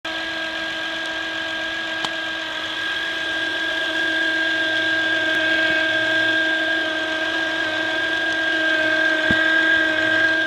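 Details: 2008 Honda Accord EX-L V6: steady high-pitched electrical whine of constant pitch over a quiet idle, clearly above the motor noise; a bad diode in the alternator causes it.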